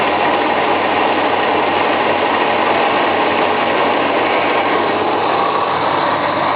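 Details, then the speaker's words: Dodge Aspen wagon started cold, the automatic choke feeding it a lot of fuel, then revved: a rough, uneven note with a fast idle. Owner suspects it isn't firing on all cylinders. Rich running on automatic choke. "It's a bit cold right now, so the automatic choke is giving it a lot of petrol, but see if I can rev it."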